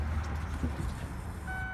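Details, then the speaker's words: 1999 Ford Windstar after fuel pump replacement, key on with battery reconnected: faint steady electric hum as the new pump primes, no leaks; normal prime before the van starts. "You can hear it prime, no leaks."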